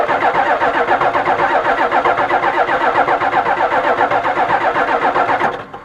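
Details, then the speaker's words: 1985 6.9 IDI turbo diesel truck, sat for years: steady rhythmic cranking about four compression beats a second for over five seconds, never catches; no start, fuel at the line, owner suspects air in fuel. "all right so I cranked it over a little bit you can see I got fuel at this line"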